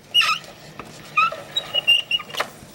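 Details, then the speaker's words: Tape gun dispenser squealing since purchase: five or six short, sharp squeaky chirps in quick succession as tape pulls off while assembling a paper box; cause unknown. "Ever since I got this tape gun, it squeals. It's like, you hear it? It's squealled ever since I bought it. I don't know why."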